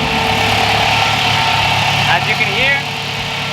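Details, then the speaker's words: Turbocharged Toyota pickup with a new SPAL 16-inch electric radiator fan on a 185° switch, engine warm: a steady, very loud rushing whoosh over an even idle. The fan now runs normally after a blown fuse was found and replaced. "fan is on it's activated i found the issue it did get a little warmed up it is very loud"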